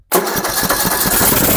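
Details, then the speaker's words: Poulan Pro 300 EX Series riding mower, hood off, spraying carburetor cleaner into carburetor after fresh-gas refill: engine catches sharply and runs rough briefly on the spray, so fuel starvation with carburetor not delivering; electric solenoid on carburetor bottom suspected. "does well it starts with carburetor cleaner so first of all let's make sure we got gas going to the carburetor here"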